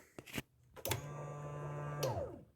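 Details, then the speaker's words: 2009 Polaris Sportsman 800 that sat about six months, tank flushed and refilled with fresh gas, pump and fuel system dry: a couple of clicks, then an even low hum for about a second as the fuel pump primes normally. "did you hear that that's the sound we want going to take a minute yeah the pump's working it's going to take a minute to get primed the system's totally dry actually the pump's totally dry"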